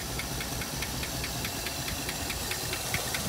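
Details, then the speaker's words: 1956 Buick Century, long-sitting, engine running for a while: light, sharp tick about five times a second over a rough idle, a little smoke from both pipes; cause not identified. "all right so this thing's still running away um still got that one little tick in it"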